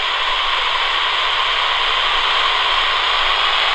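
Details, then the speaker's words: AM radio tracing a Flymo 1200R robot mower boundary cable broken by contractors: plain static with no buzz means the wire signal is lost, so the break is near this spot, far from the base station. "here you still hear that buzzing it's going to be around here somewhere that we lose the sound"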